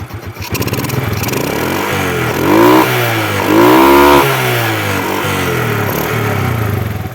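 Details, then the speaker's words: 2005 Suzuki Smash motorcycle, kick-started, fires on the first kick; revs twice and settles to a steady idle, no knocking or rattling, engine smooth with no smoking: normal engine revving. "Mesin juga masih halus ya."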